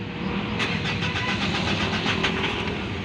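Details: Mitsubishi Montero hard starting, check engine light on, stalls while driving: rapid, uneven cranking beats go on for seconds without catching; hard starting with extended cranking.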